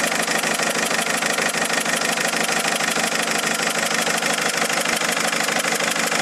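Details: Mercedes A170 diesel after changing 3 injectors: sharp metallic tap about one and a half times a second over a bright idle, steady and regular; knocking at idle, cause not pinned down.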